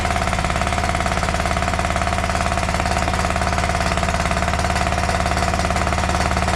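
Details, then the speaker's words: John Deere LA130 lawn tractor V-twin, customer said it cracked, popped and died; harsh hammering chuff, three to four pops a second, backfiring through the carb; suspected overheated, damaged head blowing combustion past intake valve, compression test next. "boy that's just all kinds of not good right there I believe that he has run this thing hot and damaged one of the heads maybe maybe I don't know what he could have done but it's blowing combustion right back out past the intake valve"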